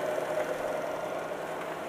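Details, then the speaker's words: BMW 316 budget EV conversion, series-wired motor on a 12V booster pack, car on blocks in second gear: quiet even whir with faint mid-pitched hum, rear wheels turning, no bad sounds from gearbox or drivetrain. "and our back wheels are turning as you can see and we're in second gear at the minute you can hear how quiet this is there's no bad sounds coming out of the uh gear uh gearbox or drivet train"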